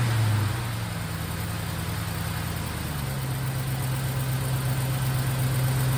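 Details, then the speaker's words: 1951 Hudson with LS swap 5.3 V8 from an Escalade on a $100 eBay harness, running on no MAF sensor with about 40 psi oil pressure at idle: smooth, even idle stepping up slightly, no knocks or misses; runs clean. "let me see if the power steering works power steering power steering works good sounds good she's running just like it was in the Escalade fantastic"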